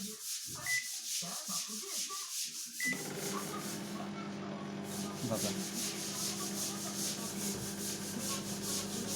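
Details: LG microwave after repair, tested with a bowl of cold water for one minute: two keypad beeps, then a steady, even hum with the turntable rotating and no rattles, a normal operation.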